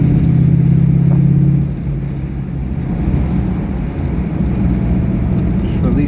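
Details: 2004 Modena Classic Design Ferrari 250 GT California Spyder replica, manual, shifting through second to fifth and downshifting: deep even pull that drops cleanly at shifts and picks back up, no grinding, clunks or popping; healthy drivetrain.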